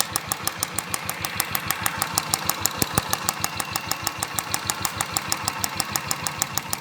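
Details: Royal Enfield idling with crisp, light, evenly spaced ticks about three per second, separate from the engine beat. The noise comes from the purge valve, not the engine, cam or tappets, and stops when the valve is disconnected. Purge valve ticking.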